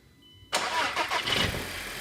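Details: TFSI engine during starting-fault tests with relay 614 monitored: short crank, fires within about half a second and settles straight into a steady idle; relay latches giving 12 V output, clean healthy start.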